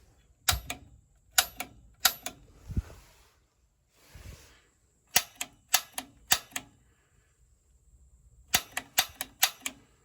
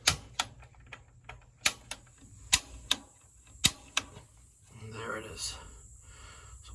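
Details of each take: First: Standard atmospheric-vent gas water heater with pilot out: gas control on pilot, button held, piezo igniter pressed. Sharp dry clicks in groups of three or four with no flame whoosh. Igniter sparks but pilot won't light; error code 7, gas valve later replaced. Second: Gas water heater after the gas control valve was replaced: pilot set, black button held, piezo igniter pressed repeatedly. Sharp igniter snaps about a second apart, then a soft whoosh as the pilot catches. Normal pilot ignition after repair.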